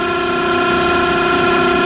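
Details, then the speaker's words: Smithy AutoMate CNC LT1440 lathe, 2 years old, about 800 spindle hours, before spindle replacement at 1800 rpm, about 83 dB; loud steady high-pitched whine, constant bearing tone; worn, rough spindle bearings. "And that's with the thing running at 1800 RPM. Let's speed it up, see if I can get up to 25. Not much difference in sound, just a higher pitch whine."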